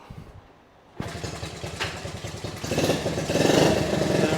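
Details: Honda Z50A mini bike, first run in over 30 years, after clogged petcock blown out and cleaned: catches on a kick and settles into an even putter that climbs smoothly with throttle; runs healthy, throttle cable issues remain.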